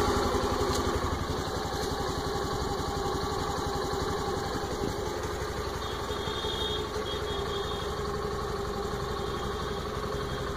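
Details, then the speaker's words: Honda Activa 125 scooter with only 115 km, idling evenly: quick light ticking about four per second on top; source of the click undetermined; clicking noise at idle. "What is this strange sound? It has only run 115 kilometers and you can hear the sound coming out from, I don't know, from where it is coming."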